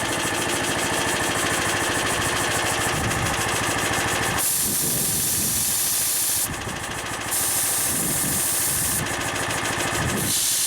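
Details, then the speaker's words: Harbor Freight engine-driven V-twin compressor, new pump, tank at about 120 PSI: steady loud hiss of the unloader venting air over the engine's fast chug as the engine eases off; not filling the tank, normal unloading. "so that like hissing sound that you hear is the unloader it's venting out all the air it's not filling up the tank"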